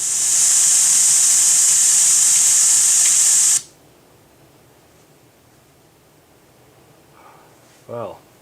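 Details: Power Mac G5 running Kubuntu Linux, after launching a program while updates still installed in background: loud, harsh steady hiss from speakers for about 3.5 seconds, then abrupt cutoff; noisy audio output, cause unknown.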